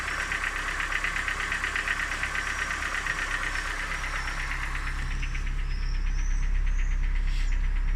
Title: Стук мотора на что это похоже?